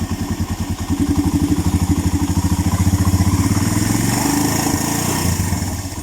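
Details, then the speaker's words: Suzuki Mola/GS 125-150 single after DIY tune-up, valves set 0.04 intake, 0.08 exhaust: even thump at idle with a mid-way blip, no top-end ticking; former ticking gone — normal idle. "Ganda ng under, oh. Tahimik na, nawala na yung kanyang lagitik. Ayan."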